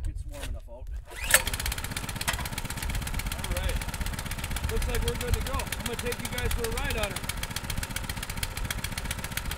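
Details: Baja mini bike with 196cc Honda-clone engine, previously wouldn't start or stay running, after carburetor replacement: catches after a short crank, settles into steady, even putter with no misses or stumbling; runs clean.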